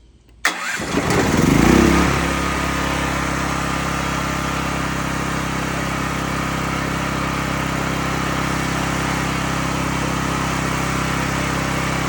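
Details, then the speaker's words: Cat RP8000E generator, about 5 years old, restarted with the faulty CO sensor bypass switch set off, since a bypassed unit cannot otherwise be shut off while running; catches at once, flares, settles into a steady even run. "if you bypass if you bypass this CO2 sensor, you can't turn it off while it's running."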